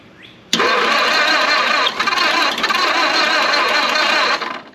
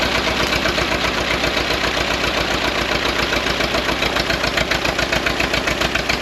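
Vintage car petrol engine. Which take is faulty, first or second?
first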